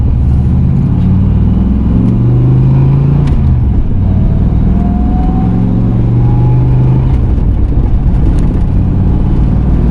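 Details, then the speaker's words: Budget turbo Fox-body Mustang, about 500 hp, used T5 gearbox of unknown history: steady engine and road drone through gear changes, no gear whine unlike the previous box; third gear synchro may be weak. "All right, I don't hear any whiny whines. So that's a good start. See if this T5 lasts."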